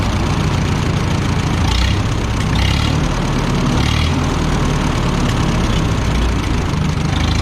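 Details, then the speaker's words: Minneapolis Moline 114 tractor started for a drive: deep, steady low-speed thump with even beat, no knocking; runs and sounds good despite a non-original Stanley muffler; normal idle. "she runs good it sounds good the motor just sounds real good not the right muffler for it and it's a Stanley but it's got a little nice sound to it"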